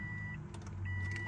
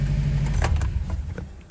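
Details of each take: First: 2005 Subaru Impreza 2.5 RS manual at key-on after replacing a blown fuse: short steady hum like fuel pump priming, fuel pressure present, but no starter engagement or cranking; neutral/starter jumper circuit found not working. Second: 05 2.5 RS first start after new motor, clutch and valve covers, heater on, AC off, cooling system still bleeding air bubbles; quiet rattling then smooth steady low idle with no knocks; normal idle.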